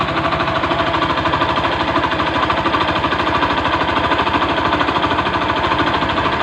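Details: Honda Beat FI scooter idling rough with noise first suspected in the CVT roller housing: steady hard knock about three times a second; disassembly found worn crankshaft main bearing, fixed with new block and piston kit.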